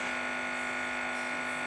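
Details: Tube hi-fi amplifier build, one channel fitted and powered through a variac: a constant buzzy hum with steady high tones and no signal, because the valve's grid bias is not connected, so the grid floats with no negative voltage.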